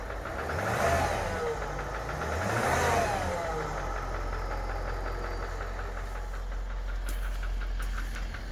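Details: 2013 Range Rover Vogue L405, knock from the upper right side of the engine: a quick, fairly regular light knock about four per second over the low rumble; engine knocking, cause unknown.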